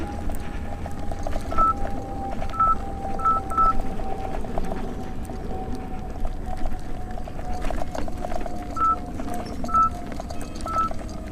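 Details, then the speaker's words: 84 V Nikola electric unicycle on Overheat Hill, ambient low 70s °F, board at 40–43 °C: short sharp high beeps in scattered pairs over wind and tyre rumble, the current alarm, shortly before MOSFETs blew and the controller failed. "listen for the amp alarms and now I'll read off the temperature"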